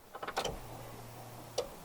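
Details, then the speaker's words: VW Golf Mk3 with single-point injection, original throttle body and new distributor, troubleshooting rough idle; a few light clicks, then about a second of low even hum as the fuel pump primes at the rear; normal fuel pump priming. "hear the fuel pump turn on the back so I don't think it's that"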